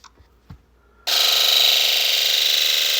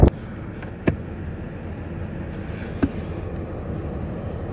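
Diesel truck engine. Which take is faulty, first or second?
first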